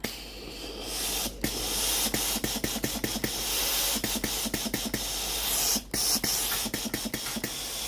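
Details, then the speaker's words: Philips GC9315 steam iron after boiler replacement, repairing a no-steam fault: steady hissing steam spray with quick clicking water pump pulses, about two or three a second; steam now comes out normally. "vapeur sort normalement."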